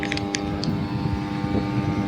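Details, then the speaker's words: Supreme 550 W mixer grinder, powered through a series test lamp: steady electrical hum but the motor doesn't spin, only turns a little and stops; suspected worn brushes, unconfirmed. "देखिए आप सुन पा रहे होंगे इस तरीके से इसमें आवाज आ रही है लेकिन ये घूम नहीं रहा है"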